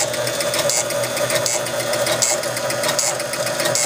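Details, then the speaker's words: 1976 Gottlieb Card Whiz pinball machine: score motor keeps going around with a steady electrical buzz and irregular clicks, not finishing its reset; buzzing was new, owner suspects a particular relay. "right now I just want you to see this motor going around and around that's probably all we're gonna get wasn't making that buzzing noise before how about that"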